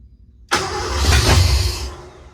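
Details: 1986 Ford F150, sat for years, new starter solenoid: engine catches with a sudden roar, runs rough about a second and a half, then fades out; starts but won't stay running, no fault codes, timing still off.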